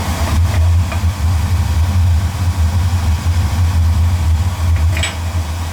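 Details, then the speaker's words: Oil-fired boiler burner, about three years old, after fitting a smaller nozzle and turning the air down to suit it: a deep, steady, even roar with no pulsing or rumble; stable flame, burner running healthy. "yeah I adjusted it adjusted it for the nozzle I put in there I put a little different nozzle in there so adjust it for them"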